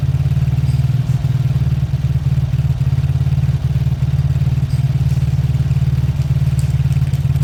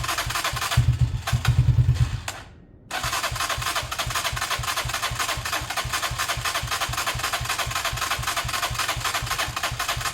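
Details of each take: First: Old Lexmoto small motorcycle engine, partly dismantled, possibly warm from the sun; steady, even low thump at about 220 per minute with no knocks or misses during a 5-minute idle to circulate oil: normal idle. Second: A beaten-up Lexmoto motorcycle with many parts missing cranks with a steady starter churn and regular compression pulses but never fires. The choke is off, the engine is possibly warm from the sun, and fuel is dripping. The carb is suspected, not confirmed.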